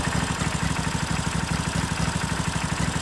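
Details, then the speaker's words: Briggs & Stratton 16 hp V-twin on a John Deere mower, shroud off during repair: even, steady low thump of about two beats a second with no misses or knocks, barely any smoke; smooth, healthy idle. "It sounds so beautiful and smooth. [Music] [Applause] Like what is that? That doesn't sound like a mower. It's like so smooth."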